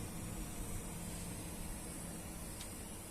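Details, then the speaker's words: Asus ROG Strix White RTX 3070 graphics card running the high-fps DirectX 12 Night Raid test: thin, steady high-pitched squeal under the fan rush, from the card itself; coil whine. "вот теперь уже на фоне всего ее прям слышно то есть реально такой писк есть"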